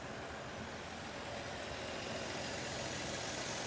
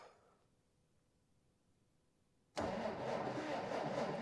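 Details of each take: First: 1947 Dodge D24 Deluxe six with fluid drive, unrun for over six months with a suspected ignition issue: quiet, even idle with a steady soft beat and no misses or knocks; runs smooth. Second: 1947 Dodge D24 Deluxe that has not run in over six months, owner suspecting an ignition issue; steady, even starter churn at about three to four beats a second that never fires; no spark at the plug; crank, no start.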